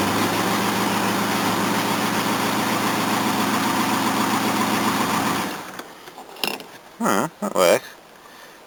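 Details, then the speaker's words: Old Mercedes 230 after reassembly, first start since the last attempt: a rough, uneven puffing tick at fast idle for about five seconds, then shutdown. An exhaust leak is suspected, probably at an undersized or mismatched exhaust pipe flange ring; needs a new exhaust pipe. "it sounds like it's got an exhaust leak somewhere still oh definitely probably that flange still"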